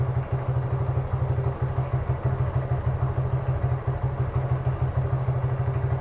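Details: Suzuki Gixxer single-cylinder motorcycle idling during carburetor vacuum leak check for mileage drop: steady low thumping about three beats a second, slightly uneven; possible vacuum leak being diagnosed.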